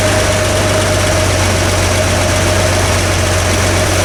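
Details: Vintage Toyota Land Cruiser six-cylinder (stated as 1979 or 1972) after adjusting the Weber carburetor idle mixture screws: steady, even idle with a smooth low drone and no stumbles, all cylinders firing. Oil pressure is excellent, and the throttle return spring is poor.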